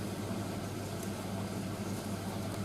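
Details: Indesit IS31V 3kg compact reversing tumble dryer running hot on its first load, timer clicking round, machine barely shaking; low steady hum and soft even rumble, no knocking or scraping, running healthy.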